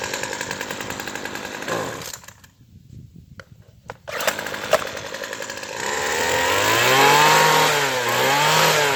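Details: Craftsman Sim-Pull two-stroke string trimmer after the carburetor was replaced with an aftermarket unit and the needles were tuned: idles, dips briefly, then revs cleanly with no bogging. Normal running.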